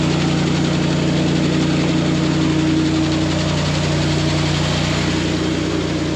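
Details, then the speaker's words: Grain bin sweep auger that first wouldn't start under the weight of grain, now turning after pushing the blockage out. Steady, even droning hum with constant low tone and no surging or clunking; unloading at full flow. "All right, I got the sweet auger to move. That pushed the blockage out. Now we're cooking with gas."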